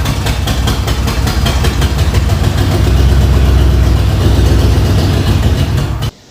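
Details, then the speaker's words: Newly swapped 302 V8 running poorly right after start-up: uneven, lumpy idle with irregular beats and a surging note before cutting off; rough running, owner suspects a wiring problem, cause not confirmed. "now that you've seen that clip you see how when it started up it was just not running too good"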